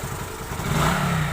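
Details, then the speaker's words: Hero Super Splendor engine just reassembled with timing set and oil filled, after crank noise: short rev from idle climbing cleanly and smoothly; earlier crank knocking now completely gone. "और अब देखिए दोस्तों, वो जो इसमें किरण किरण की आवाज़ आ रही थी, अब इसमें बिल्कुल भी आवाज़ नहीं है।"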